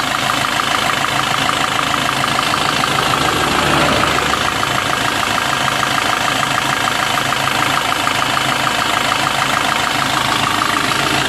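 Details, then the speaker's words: Warm idle of a Maruti Suzuki Swift Dzire after water pump replacement, coolant refill and drive belt fitting (engine mounting not yet refitted): steady, even idle with light mechanical chatter and radiator fan running, no knocks; sounds normal, earlier coolant leak gone. "Engine working കുഴപ്പമൊന്നുമില്ല കേട്ടോ, നല്ല working ഉണ്ട്, പ്രശ്നമൊന്നുമില്ല. സൗണ്ടൊക്കെ നോർമലായിട്ടുണ്ട്."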